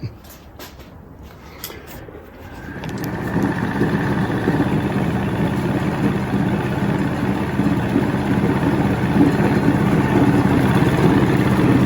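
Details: 1970 Evinrude 85hp outboard with hydroelectric shift, about 50 years old, new water pump impeller, not mounted on a boat. Quiet, then it catches and settles into a smooth, even two-stroke burble without missing; a nice running motor.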